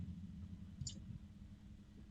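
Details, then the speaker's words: Arctic Liquid Freezer II 360 Black AIO liquid cooler running, same fans as Liquid Freezer III: soft steady low hum from fans and pump with one small click, no rattle or gurgle; normal quiet cooler operation. "The fans are not particularly loud. These are the same fans that they used on the 3."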